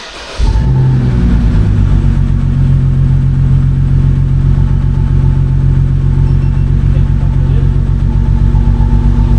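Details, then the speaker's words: BMW N52 idle after the suspect cylinder 2 coil was swapped to cylinder 1: a periodic stumble about two or three times a second, misfire still heard. A Foxwell GT60 cylinder smoothness live-data check points to the coil. "So, the misfiring coil should be on coil one. Now, I've got an OBD scanner. Um, I can still hear the misfire."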